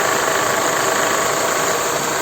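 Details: Mercedes M111 petrol engine idling: busy metallic rattle that seems to come from the valve cover but is the worn crankshaft/alternator belt pulley damper, changing with revving.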